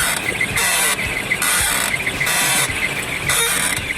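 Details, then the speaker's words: Car steering/suspension squeak, high and scratchy, repeating about once a second; the cause was traced to a worn tie rod end, which was then replaced. "Ищу и попытаюсь устранить что-то в рулевой пищит, не знаю что. Вот такой звук, если слышно."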